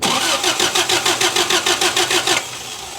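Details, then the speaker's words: 1983 Toyota 4x4 pickup, 22R 4-cylinder, sat at least 10 years: even cranking about three beats a second for two seconds, stops without firing; fuel pump bad, delivering no fuel, and no spark; pump to be replaced. "fuel pump is bad as well as not getting spark so we got a few things we need to figure out"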